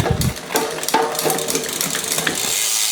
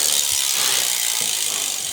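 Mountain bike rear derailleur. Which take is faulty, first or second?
second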